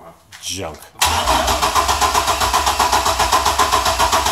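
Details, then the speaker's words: Cold Chevrolet S10 with a good-sounding engine: short crank, then it catches and settles to an even idle of about four beats a second once the key is released; owner suspects the coils get no power while cranking. "I think it's got a problem where it only starts when you release the key. Oh. It doesn't get power to the coils when it's cranking, so it's really annoying, but just wanted to move it."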